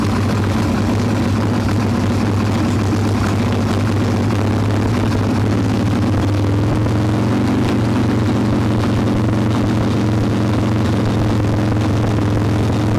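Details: Harley-Davidson Evo Softail V-twin, warm, no choke, carb loose with choke plate off, mixture screw being backed out from seated: low, lumpy, loping idle that never settles; intake air leak, later traced to loose intake bolts and cracked vacuum cap.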